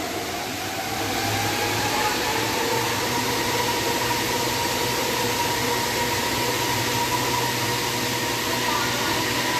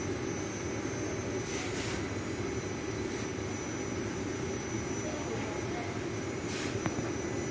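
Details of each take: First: Ceiling-suspended air conditioner after repair of an abnormal noise: smooth steady fan hush with soft even hum, no rattles or knocks; now quiet, running normally. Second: Old ceiling-hung air-conditioner indoor unit before repair: a steady whooshing fan roar over a low rumbling drone, from a sagging assembly that knocks the fan motor out of line.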